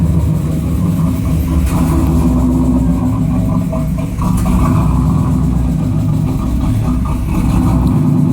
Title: Rough idle 92 camaro